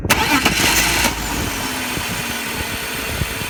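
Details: BMW E46 with new idle control valve, MAF, intake boot and DISA: engine catches and settles to a low uneven idle, dropping to about 400 rpm, under a loud constant hiss; air leak, with high oil consumption, source unfound.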